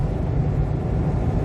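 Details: 2007 Jeep Compass after repair of its humming noise, driven at about 60 mph in strong wind: an even, low road rumble with no hum or growl from the wheels; the hub bearings sound healthy.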